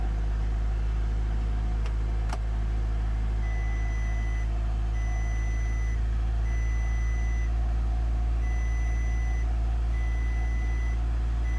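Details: Audi A3 that won't start: a steady low hum under a regular two-tone warning beep about three times a second, with no cranking or firing; cause unknown. No-start with warning beeps.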